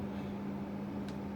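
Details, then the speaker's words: Gaming PC with newly installed CPU cooler, noise test: steady, even low hum with a soft airy rush and no ticking or rattling; fans not too quiet but running normally. "this is basically just how loud those fans are those fans they aren't too quiet"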